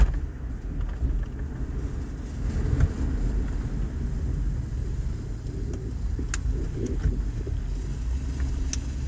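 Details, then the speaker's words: 2007 Honda Odyssey 3.5 road test after repairing a loud noise when turning: steady low road rumble, no clunks, knocks or rattles over bumps; front suspension quiet and tight, repair successful. "Pues ahí vamos dando la prueba de manejo. Parece que todo quedó muy bien."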